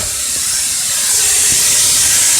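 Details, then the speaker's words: 2002 Honda Accord EX, 2.3 L four-cylinder VTEC, engine off and exhaust cool: tailpipe pressurized with Shop-Vac exhaust air gives a loud, steady high-pitched hiss escaping at the split flex pipe, soot on hand confirms the exhaust leak. "so you can feel that it's leaking by the flex pipe and in fact I've got soot on my hand"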